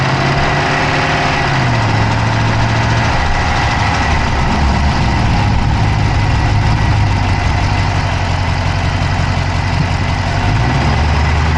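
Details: Dodge Charger Hemi V8 at idle, recorded inside the passenger-side engine bay: rapid, light ticking over a steady idle that stays with engine speed; a fast ticking symptom with no cause pinned down.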